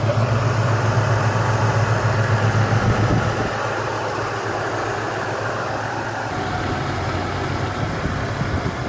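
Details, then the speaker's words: Rough, hunting idle with a faint stutter in the beat, settling slightly, on a 300,000-mile engine before an engine flush and oil change; carbon buildup is suspected to cause the irregular idle, not confirmed. "We're going to fix that. We're going to fix that stutter."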